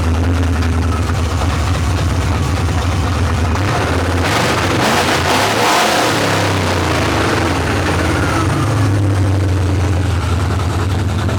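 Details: Chevrolet Monte Carlo small-block hot rod after cylinder head replacement, high-lift cam, on open headers: loud, lumpy idle with a quick blip midway, settling back evenly; engine running well.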